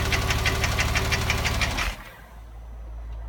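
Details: Porsche 997 3.8 2006 engine at idle: sharp regular tapping about three knocks a second over idle, then cuts off; owner suspects piston slap (kolbenkipper) or hydraulic lifter (hydrostössel), unconfirmed.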